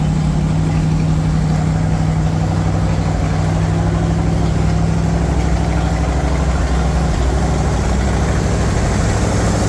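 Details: Chevy 350 V8 in a Wide Gauge Bombardier after a tune-up and an oil and filter change, with very old black oil drained: steady, even idle with a deep, smooth burble and no misses, knocks or ticks; running smooth and clean.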